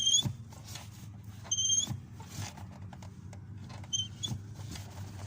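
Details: Lada Kalina/Granta clutch pedal squeaking when pressed, sharp high squeaks from the dry clutch cable rubbing in its sleeve; cable adjustment and clearance at the clutch fork under the hood checked.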